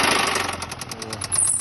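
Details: Infiniti FX35 engine started off a second battery, idling roughly with rapid, sharp, even knocking at roughly ten per second; rod knock from the number six connecting rod, engine to be opened up.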